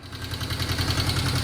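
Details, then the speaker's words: 1972 Honda CL350 twin, restarted after carburetor idle adjustment: even, regular exhaust pulses at a steady 1100 rpm idle with no hunting or misses. Finding: normal idle. "There we go, guys. She is nice and steady. Right there at 1100."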